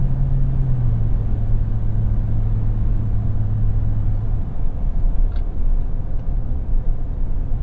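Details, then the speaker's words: Second-generation Toyota Tundra with over 180,000 miles on Kumho Road Venture AT52 all-terrain tires, binaural in-cab mics, slowing from 65 to about 60 mph; only low smooth road rumble, no hum or whine, tires barely heard; normal tire road noise. "You really barely hear them, and that's pretty impressive."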